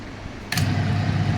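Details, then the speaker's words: Friction test rig lubricated with Green Earth DJ synthetic two-wheeler engine oil, running: steady low hum, no scraping, squeal or grinding, no wear; quiet smooth running. "જો કોઈ પણ જાતનો અવાજ નથી, કોઈ પણ જાતનો અવાજ નહીં, કોઈ ઘસારો નહીં."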